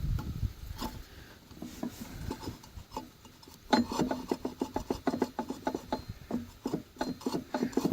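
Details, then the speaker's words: Driveway sweeper during pre-winter maintenance: dry scraping bursts about twice a second in a quiet room, something rubbing on each turn of the sweeper drive, possibly near the gearbox underneath; contact point unknown, bearings also sound worn. "So, however, I don't know where the that's hitting. Boy, that sounds terrible."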